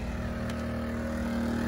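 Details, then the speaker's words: 2000-watt Predator generator running a 2021 Lance 650 truck camper's air conditioner under heavy load: steady, even engine drone with a firm low hum, lagging as the compressor kicks in but not overloading, still putting out power and the AC blowing cold. "it's running harder but it's running so you can see still got the output on there it didn't overload it pulled pretty hard but it's still running"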